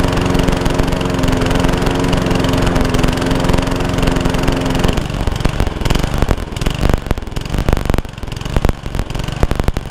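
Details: Honda Lawn Flite 553 HWS lawnmower on the bench: runs steady for about five seconds, then speed sags and picks up unevenly; the engine is hunting from a blocked carburettor jet.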